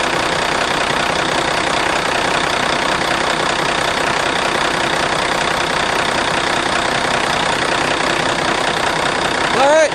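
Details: Ford F800 dump truck after fixing click/no-crank electrical fault and wiring fuel shutoff solenoid to starter solenoid: engine fires and holds steady even idle, no misses, knocks or stumbles; running healthy.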